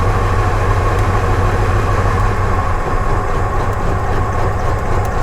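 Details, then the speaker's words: Truck with a P0300 misfire and brand-new plug wires, during a spark drop test at the distributor cap: rough, stumbling, uneven idle with no steady beat. It is running on only a couple of cylinders. "and you see that basically cut off the the truck right here so I'm thinking that we're just running on a couple of cylinders"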